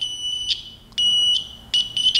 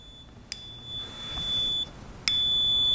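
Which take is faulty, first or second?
second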